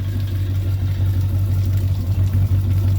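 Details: 2008 Malibu Wakesetter after its transmission shift problem (forward/reverse solenoids) was resolved, at idle pumping water: a steady low rumble continues into reverse with no clunk, grind or stumble.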